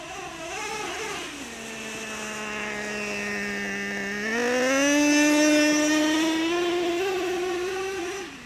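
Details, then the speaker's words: Traxxas Revo 3.3 nitro monster truck that sat 10 years, warmed up and driven slowly: a high-pitched nitro note climbs smoothly, then it shifts into second almost instantly, an early transmission upshift; slipper clutch vs. transmission cause not confirmed. "there it is you hear it it's like instant so I'll go slow with it and then you'll hear it it shifts seems like way too early"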